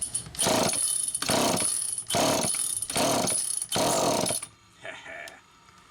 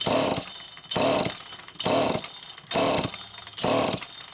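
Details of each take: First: Super EZ Automatic chainsaw, cleaned out and on its second test run after a fault was found by hand inspection: snaps up crisply in repeated throttle bursts, then pulls steadily through the cut without bogging; normal, clean, strong running. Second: Super EZ Automatic chainsaw with deteriorated filter grommet and stiff fuel hose: five even rope pulls, about one a second, never fires or catches; not drawing fuel.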